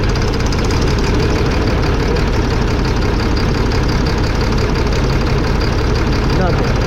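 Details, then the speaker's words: 2005 Fleetwood Discovery motorhome, Freightliner chassis, Cat C7 diesel with low power, unable to exceed 60-65 mph: loud idle with uneven, lumpy beat and rough shake; cylinders 5 and 6 not firing, misfire from bad injectors, later replaced. "so there you have it number five and six not working"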